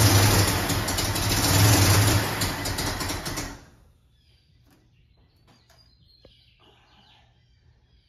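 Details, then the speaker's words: Carbureted Ford Mustang at first start, drawing air under a 1-inch carb spacer fitted with the wrong gasket; crew suspecting jets too small: ragged, uneven running that fades and dies after a few seconds; rough running from a vacuum leak. "Yeah, it sounded to me like it's not. It's not hitting on all of it."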